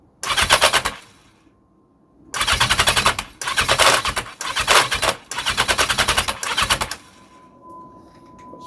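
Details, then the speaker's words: 1982 Yamaha XJ750 that won't start even with starting fluid, spark present, compression unchecked: repeated bursts of fast, harsh metallic clacking while cranking, no catch; rattle from the starter clutch, like keys in a tumble dryer. "hear that rattle that's the um starter clutch I can't even get a cough with s fluid"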